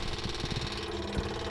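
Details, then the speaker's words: 1958 Packard 58L sitting since Christmas, engine off, ignition switched on: rapid steady low buzz and ticking as the electric fuel pump primes and fills the carburettor normally before start-up. "I'm going to turn on the ignition. You can hear the fuel pump"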